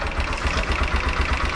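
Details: TVS Apache RTR 160 4V BS6 single-cylinder engine at idle: steady thump about five beats a second with a light "tik tik" ticking riding over it; engine ticking problem, cause unknown.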